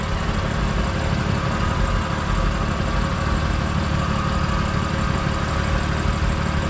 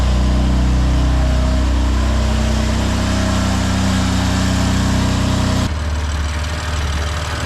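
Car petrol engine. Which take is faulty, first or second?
second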